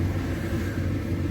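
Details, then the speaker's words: Owner's residential 80% gas furnace: inducer running after pressure switch closes and power passes rollouts and high limit to hot surface igniter; steady low hum and rumble, no knocks or rattles, normal during igniter warm-up. "so there goes our inducer motor pressure switch closes through all my safeties two roll outs one high limit hot surface igniter"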